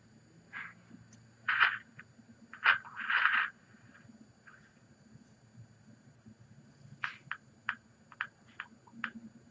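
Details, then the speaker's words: Transistor radio bought non-working: station comes through but irregular bursts of scratchy crackle come and go, signal cutting in and out; intermittent bad connection being traced. "signal station is coming through so let's figure out what's going on with this"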